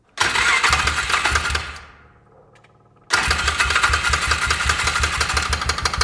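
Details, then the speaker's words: 2004 Polaris Ranger 6x6 after an engine rebuild, first start: sharp rapid top-end tapping while running, though the valves look fine. Owner suspects exhaust valves or the piston contacting the head, possibly from a piston installed backwards. "Honestly, that sounds like the valves, the exhaust valves are making contact. Wonder what I did wrong here."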